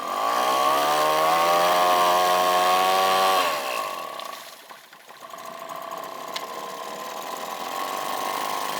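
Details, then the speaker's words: Outboard just fitted with a new carburetor replacing the old junk one: smooth even buzz at steady revs, no misses or surging; runs healthy. "there we have it so runs it works"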